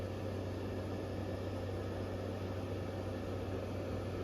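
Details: GE 6000 BTU window air conditioner, recorded from outside beneath the unit: steady, even fan rush over a low hum with no high-pitched whine. Compressor is quiet; normal running.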